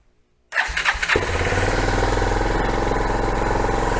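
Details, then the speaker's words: Kawasaki Bayou 220 ATV, abandoned non-runner, temporary fuel line, two-stroke poured down the fuel line, choke on: brief crank, then single catches and settles to steady thumping idle around 220 beats a minute, running cleanly. "oh that sounds good well we'll try turning the choke down here"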